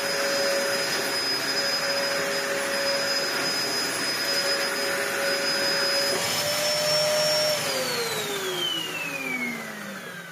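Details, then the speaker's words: Dyson DC01 vacuum, built 5 June 1998, about 25 years old, after repair with new parts and original base plate inner refitted; steady even high whine, no rubbing, pitch falls smoothly at switch-off; working fine. "Well, I think it's working fine."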